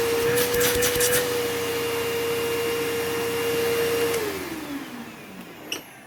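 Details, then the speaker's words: Curb-find old Bissell PowerForce Bagless 6594 upright vacuum, first run before refurbishing; steady high whine, smooth wind-down after switch-off, bearings okay, fan not off balance, no buzzing or vibration: tired but serviceable motor. "The bearings sound okay. The fan isn't off balance."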